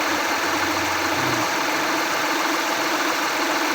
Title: 2014 HONDA ACCORD V6/Engine Knocking Sound at Cold Start/Cause and Remedy(Part 4)